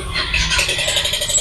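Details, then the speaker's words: Yamaha Mio i 125 scooter with stock exhaust pipe refitted, idling: fast metallic scraping tick over the engine, something rubbing inside the engine; the pulser coil rubbing on the magneto rotor. "Yan maririnig niyo ingay na to ay kumakas sa loob. May namamasko. Merong namamasko."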